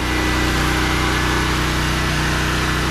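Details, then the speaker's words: Smarter Tools STGP-3500EB 3500 W generator, 196cc 6.5 HP air-cooled OHV engine, first start, idling with no load, recorded about 10–15 feet away: steady, quiet, even hum, no knocks or misses; normal. "It runs really quiet, actually. It's not bad at all."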